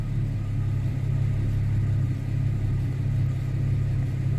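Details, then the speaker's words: 2011 Chevy Camaro V6 idling, intermittent hard start, check engine light: low, slightly uneven rumble with occasional stumbles; scan shows misfire counts on cylinders 1 and 6, oil pressure sensor also faulty. "let's go to misfire let's see if we can find a cylinder that's misfire it's fire counts on one six misfire in this car accountable one and six"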